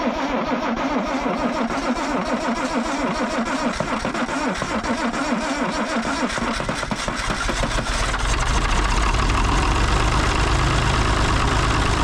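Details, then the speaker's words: International D282 diesel in a Galion crane with a rebuilt Roosa Master DBG injection pump. It cranks, catches and settles to a steady even idle with no misses or knocks. "So I put it back on, heated the glow plugs for 2 minutes, and it fired right up."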